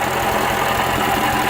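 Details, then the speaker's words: Remanufactured Atomic 4 inboard petrol engine for a 33' wood sailboat (original seized by exhaust water backflow), new carburetor, electric fuel pump; running, good oil pressure and cooling water flow, about 100 degrees: steady, even idle, no knocks or misses. "Alright, I'm back with you, and this time the engine's running. You can hear it."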